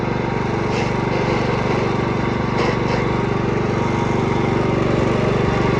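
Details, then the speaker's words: Cub Cadet 104 garden tractor, ant-infested and sitting many years: steady even single-cylinder thump about four beats a second, holding only with choke on; owner suspects not getting fuel and may need carburetor cleaning. "So, we'll see if it clears itself up here in a minute and I can take the choke off. If not, I guess I'll have to clean carburetor out."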